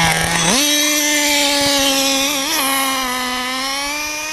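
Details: Small engine on a cold day, untuned for the cold: picks up, then bogs at top end with a soft, lazy note instead of clearing out; running rich, high-speed needle needs opening a little.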